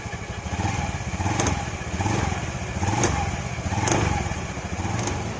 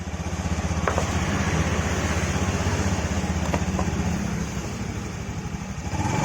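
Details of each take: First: Honda Beat FI scooter at pull-away or light throttle: uneven rattling clatter about once a second from the CVT over the low engine note, traced to a worn CVT cover bearing shaft whose bearing keeps failing after replacement. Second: Honda Beat FI scooter on the stand, after the worn CVT shaft was replaced (bearings changed repeatedly before): smooth belt whir with throttle; the clatter at pull-away and low throttle is gone.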